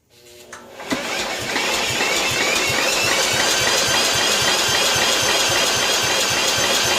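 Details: 1995 John Deere STX38 lawn tractor, long parked, off choke at about 50% throttle: the starter spins the engine at a steady rhythm of about four beats a second, but it cranks without firing or picking up speed.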